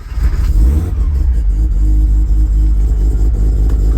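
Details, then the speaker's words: RX-7 13B rotary swapped into a Subaru BRZ, started in neutral after priming oil pressure: heavy low rotary growl swelling with throttle blips, smooth with no misfire; starting very nicely, temps looking good. "start it up what's up oh it's starting out very nice today"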